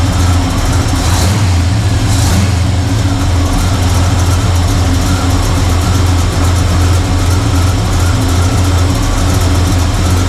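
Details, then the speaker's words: 1985 Chevrolet C10 with Blueprint 350 V8 at idle, timing set, air-fuel screws turned in a quarter from 1.5 turns; deep, slightly lumpy idle wavers but holds, vacuum hovering around 10 and low, owner suspects a vacuum leak. Rough idle, low vacuum. "It's actually getting a little better. It was over here. Now it's hovering right around this 10. Still, know what to do with this thing. Sounds pretty good. Timing's good. Vacuum's not great."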